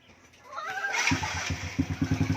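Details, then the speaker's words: Honda Wave second push-start test after the starter chain was replaced, battery at 12.2 V: a brief starter whirr, then the engine catches within a second and settles into a quick, even putter. It starts cleanly on one click. "So, okay. One click na ulit ang motor ni sir."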